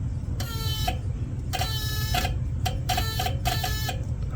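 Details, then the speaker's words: Junkyard Toyota, abandoned 20+ years, now running and charging: pressing on the chewed wiring harness gives short irregular buzzy bursts over a low idle rumble, like a light relay chattering; cause suspected, not confirmed. "Sounds like a light relay or something."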